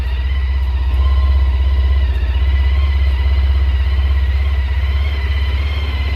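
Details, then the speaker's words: Honda ST1300 just fitted with a new Caltrix battery replacing a low-amperage one, fresh oil change: even, steady low thrum at idle with regular beat, no misses or knocks; running healthy. "so we'll see if this one makes a difference oh yeah oh it sounds like it's got a lot more amps"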